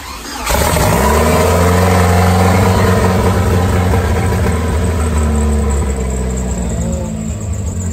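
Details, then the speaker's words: Turbo Cavalier, first start after ignition wiring, with fuel leaking: catches sharply and runs several seconds, revs sag unevenly then it dies; theft system suspected; stalls after starting. "we got this started and somewhat idling we think the theft system might be the problem of not staying in idling"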